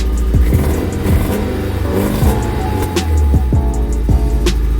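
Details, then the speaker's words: Nissan 240SX S13 coupe, cold after sitting, jump-started after a new fuel filter for a no-rev, bogging problem; uneven idle with revs sagging and surging, rough running while warming up. "Alright, so it sounds like it's revving a little bit more. Still dying down. I'm gonna let it warm up a little bit, see if that helps."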